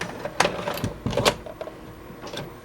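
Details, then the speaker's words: VCR with a dirty mechanism, just cleaned: short whirring motor bursts and plastic clicks from the loading gear, stopping and starting without loading; the mechanism won't accept the tape. "it's not accepting a tape turn the power off honestly I didn't see this thing do anything for either one"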